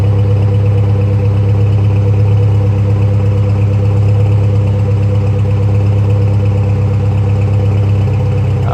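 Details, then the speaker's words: Saab Aero just started after a head gasket replacement, still mixing oil and coolant and smoking heavily: loud, low idle with an uneven pulse around three per second and no clean rhythm. Owner suspects the cylinder 3 sleeve, not confirmed. "look at that it started up okay sounds rough yep here comes the smoke here it comes"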